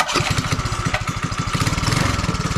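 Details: 5 hp Briggs & Stratton on Mega Moto minibike, first start after fitting new 2-litre fuel tank, with choke and a little throttle: catches and runs with quick, even popping beat, no stumbling; normal.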